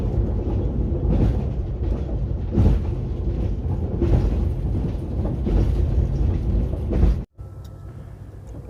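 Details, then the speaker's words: Electrified line between Smedjebacken and Fagersta heard from aboard the train: heavy rumble with a dull thump about every second and a half as the wheels cross the rail joints, normal jointed-track clatter. "Jag blev sedan lite glatt överraskad en stund efter att vi hade rullat iväg från Smedjebacken när jag till min förvåning upptäckte att trots att det är elektrifierat här så är det faktiskt skarvspår som gäller mellan Smedjebacken och Fagersta bar lyssna på det här!"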